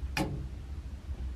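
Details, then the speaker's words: A.O. Smith natural-gas water heater after sanding the thermocouple: thermostat moved, one sharp gas valve click but no burner whoosh, no flame; fix failed, owner suspects control unit solenoid, cause unconfirmed. "there's no flame so our little fix was not enough to save it so we are going to have to order one online"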